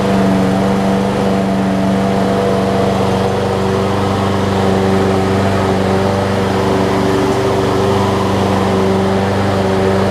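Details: Troy-Bilt XP push mower after replacing a broken 25mm blade adapter that made it hard to pull, oil changed: even single-cylinder drone at constant speed, steady low hum, no misses or knocks; running smoothly.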